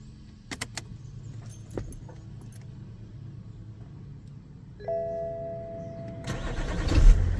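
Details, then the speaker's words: BMW E60 530d diesel after replacing the faulty IBS battery sensor: key jingle and chime, quick crank, engine catches straight away into a smooth rumble; confirms the IBS caused the no-start, still needs coding reset with diagnostic tool. "Et ça redémarre directement. Donc c'était bien le boîtier IBS."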